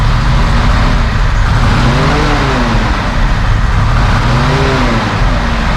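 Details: 1971 Mercedes-Benz 280 SE (W108) six after its mechanical fuel injectors were cleaned and bench-tested: deep steady idle with a couple of smooth throttle blips, even firing, no missing; a little smoke, possibly slightly rich; sounds good.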